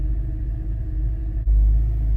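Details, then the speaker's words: BMW M3 after shop failed to fix misfires: fine briefly after start-up, then misfires at idle and low rpm; low, uneven, loping lumpy rumble, almost cammed-sounding; no power at full throttle, low oil; cause unconfirmed. "Idle and low RPM. You can hear it more now. Yeah, not a smooth idle."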